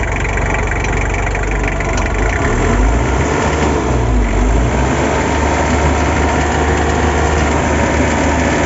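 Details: Asia Topic engine with a deep, uneven idle rumble and a rough, irregular beat that continues as it revs. Abnormal engine noise, cause unclear.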